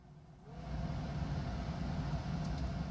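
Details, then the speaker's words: Smart fortwo 450 heater blower after replacing the faulty series resistor, which had left only the top speed working: the blower spins up smoothly to a steady low whir; all speeds work again. Normal blower fan operation. "Stufe 3 konnte man sowieso schon hören. Das ist auf jeden Fall wunderbar. Es funktioniert wieder alles."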